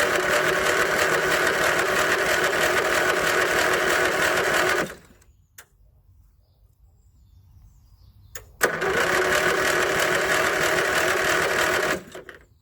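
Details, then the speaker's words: 1981 Westwood Gazelle W11 ride-on mower out of winter storage, tired low-compression engine: even cranking about three turns a second, pause, another long crank, never firing; no start, spark plug found quite fouled. "that'd be a no so i've just put my booster pack on to give it a bit of a helping hand we'll try again you can hear it wanting to go with the spark plug out you can see it's quite fouled"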